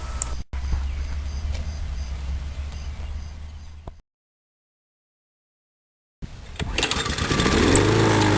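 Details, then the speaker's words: Murray mower, Briggs & Stratton engine, no spark and wouldn't start; after cleaning with sandpaper and gapping with a business card: one pull, engine catches and climbs to steady even run; fixed, running normally. "Okay, on the first pull."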